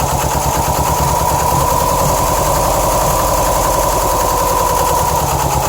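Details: 2007 Subaru STI boxer idling: uneven lumpy pulse; shredded check screw screen in the passenger-side AVCS, starving cylinders 1 and 3 of oil, issues remain after fix; rough idle.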